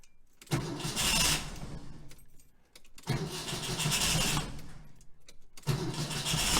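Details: 1966 VW Type 3 Fastback, 6-volt system, new starter, after installing a hard start relay kit and reconnecting a loose starter wire: three firm cranking bursts, each catching into a rough run, no clicking; normal crank and start.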